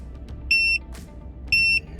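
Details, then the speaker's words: Kormate TPMS on a RAM 1500 with Load Range E all-terrain tires, after a few hundred miles on a 15-degree morning: two short, shrill beeps about a second apart over quiet, the monitor's low-pressure warning, still working. "you can hear the low pressure signal beeping on here, so it continues to work."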